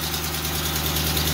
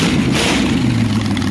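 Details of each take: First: 400ci small-block Chevy V8 auction find running on a test stand: steady idle with fast, light clicking over low rumble; owner suspects it badly needs a timing chain, not confirmed. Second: 400ci small-block Chevy auction find, timing set, good oil pressure: steady even low rumble, revs briefly on throttle cracks and settles, no knocks or misses; healthy normal running.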